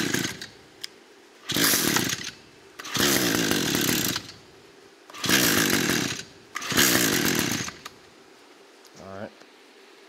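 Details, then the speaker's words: Echo 225 two-stroke after carburetor replacement and adjustment, flooded: held at open throttle while cranking to burn off excess fuel, it catches and screams in short bursts, bogging out between pulls; flooded engine. "this one is flooded so I'm going to hold that throttle open and then Crank It Up and let it let it burn out that excess [Music] fuel"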